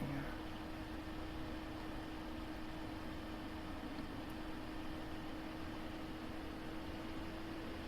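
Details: 1990s PC power supply rebuilt in an Apple II floppy drive enclosure, 5 V rail near 5.2 V, newly fitted fan; steady airy whir with a constant low hum, no rubbing, ticking or speed wobble, so the fan is running fine.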